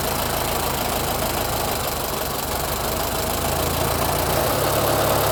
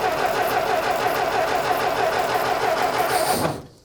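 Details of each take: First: 1925 Ford Model T after decades sitting, points cleaned: slow, even four-cylinder chuff with steady beat, no misses or knocks, coils visibly clacking and sparking; runs well, normal idle. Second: 1925 Ford Model T, sat unused for decades, first start after plugs pulled and points cleaned: catches, coughs unevenly and dies, sputtering as if starved; they suspect it needs choke.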